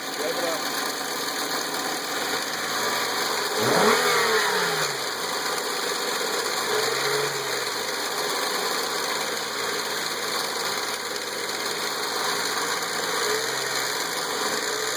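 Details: Nissan VQ35DE petrol V6, 114k miles, idling: light, loosely regular metallic rattle about three to four a second, present a while then suddenly much worse; suspected timing chain rattle. Cause suspected, not confirmed.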